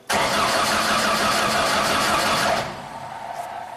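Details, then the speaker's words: 2000 Genie S60 4WD boom lift, sitting several years: starter cranks at a steady rhythm for about two and a half seconds and never fires; scope shows power feed but no coil or injector pulsing, so no spark and no fuel. "However, you see absolutely no pulsing of either the coil or the injector. So we have no spark and no fuel control or injector control."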